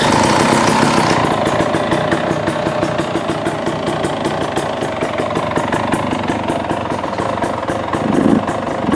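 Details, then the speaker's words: 2017 KTM 300XC two-stroke, started on choke after a no-start repair: it settles into a steady, slightly uneven crackling idle with no misfire or bogging; idling OK, though the air screw may need closing a little. "All right, so far so good. I like it. It's idling."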